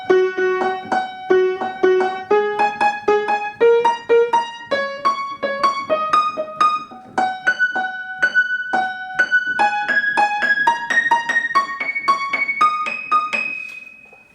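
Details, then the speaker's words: Upright piano during DIY tuning, playing up the scale in the upper register: single notes clear and steady with no beating or sourness; this register sounds in tune. "I'm thinking this pretty well sounds pretty good up here in this register."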